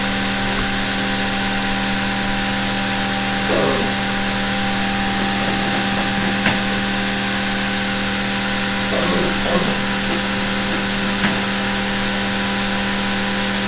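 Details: Vintage sewing machine series-wound motor after WD-40 lubrication: steady high hum of constant pitch with some brush buzz and a few handling clicks; runs smoothly, nothing wrong.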